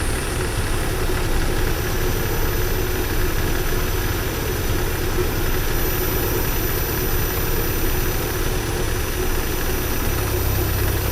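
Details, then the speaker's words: 1979 Porsche 924 finally running after repeated stalling problems. Fuel pressure still reads high and the warm-up regulator needs adjusting. Steady low idle holds without hunting or stumbling, a constant even drone; running smoothly for now. "yeah there I guess it's running even idling all these I can get it to run smoothly now"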